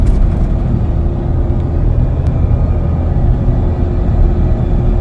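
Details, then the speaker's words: Nissan Navara STX 550 while driving: steady mid-pitched whine like a running tap over road rumble from the rear differential; pinion bearings suspected from a hoist run-up, not confirmed; before repair. "So that's the noise we've got to get rid of. We've had it on the hoist, and we've had it on the hoist and we ran it up, and it sounds like pinion bearings in it have gone."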